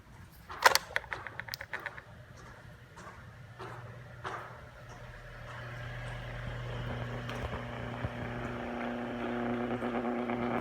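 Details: 2-year-old Hanabishi Summer Wind 12-inch wall fan: a few clicks, then spin-up into a steady low buzz with light rattle; fan buzzing and rattling fault, out of warranty.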